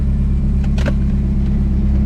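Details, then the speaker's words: Turbo PT Cruiser bought for parts, cold start: a steady low rumble at idle with only a few stray handling clicks, no rhythmic knocking and no smoke; the engine sounds healthy. "that was a cold start. So, not quite sure where the exhaust pipe comes out, but we got no smoke. So, the way this thing sounds sounds like it should run pretty good."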